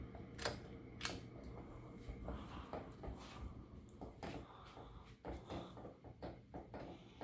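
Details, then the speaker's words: Canarm P-36 spinner ceiling fan from July 1991 on a long downrod, running on medium in reverse. Faint, uneven light ticks and knocks over a quiet hum, with some bearing noise. The wobbling ball socket is hitting the lower canopy. "oh yeah and you hear that noise uh on a medium from the wobble that's coming from the uh canopy the ball socket is hitting the lower part of the canopy"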